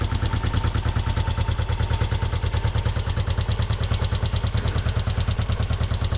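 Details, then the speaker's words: Honda CL350 twin, cold engine with the choke about half on at roughly 50–55°F ambient, just started. A steady, even lope at about 140 pulses a minute with no knocks or misses, a normal cold idle. "So this is actually a cold start. I mean, I can hang on to the pipe. This is a cold engine."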